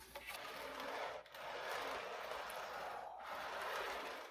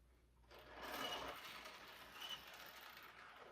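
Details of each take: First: O-gauge MTH Premier Blue Goose observation car after a drop of lubricant on each axle: a smooth, even whir with the earlier nails-on-chalkboard wheel squeal gone, the axles running quietly and freely. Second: O-gauge model train observation car rolling with a thin, shrill squeak rising and fading over wheel rumble; squeaky wheel axles.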